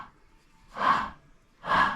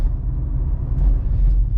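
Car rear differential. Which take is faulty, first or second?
first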